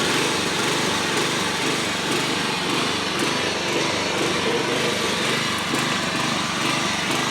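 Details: Old John Deere 14SB push mower, trash find, rope instead of missing recoil, carb only removed and inspected, at half throttle: single-cylinder buzz with uneven hunting beats instead of a steady note; runs rough, owner thinks carburetor needs a rebuild.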